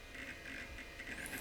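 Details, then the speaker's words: IBM Aptiva 2139 barn-find Pentium II PC, quiet Bigfoot hard drive booting a crashed Windows 98 install: soft chirps and short seek bursts, no whine; a healthy drive reading normally. "It doesn't make any whining noises, Just a nice nostalgic sounds when it's reading. Perfect for a Pentium 2 machine."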